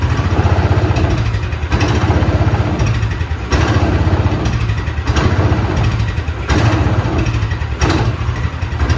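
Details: Vintage Allis Chalmers Terra Tiger with a Honda-clone small engine and newly built exhaust, run indoors in freezing weather: steady low thumping with a few throttle blips, even pulses, no knocks or rattles; engine running healthy.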